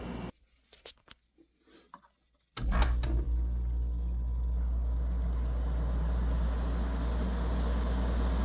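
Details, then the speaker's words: Newly installed window air conditioner: a few clicks and handling, then steady low hum with smooth even fan rush; blowing ice cold air and sounds great, normal running. "This one is blowing ice cold air and it sounds great."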